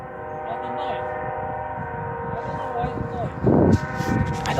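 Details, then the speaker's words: Train horn stuck on for about five hours, heard from a distance near a house: a steady multi-note blare over distant rumble that never cuts off. A stuck train horn. "That's a train horn. There's a train horn stuck on. What? It's a train horn that's stuck on."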